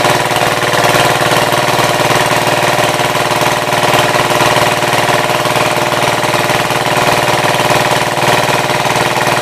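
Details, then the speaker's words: 1966 Gravely C10 single-cylinder on a temporary battery ignition coil replacing the failing old coil (shut off by pulling the wire): even, steady thumping at idle with no misses or stumbles; idling cleanly. "So basically to shut it off I have to pull that wire off. Everybody ready? Got her down at an idle."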